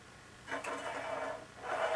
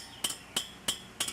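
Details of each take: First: Bicycle wheel being trued with a homemade gauge: a soft scraping rub twice per turn where the out-of-true rim brushes the gauge. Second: Hand-built bicycle wheel checked after a couple hundred miles by plucking spokes: five crisp, high metallic pings, each ringing cleanly rather than dull like loose spokes; properly tensioned spokes.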